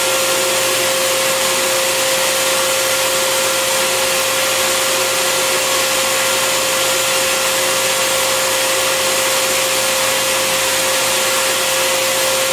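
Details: Bissell Garage Pro wet/dry vacuum in blower mode with the hose twisted in: steady high-pitched motor whine and constant rush of air, no surging or rattle; normal blower operation.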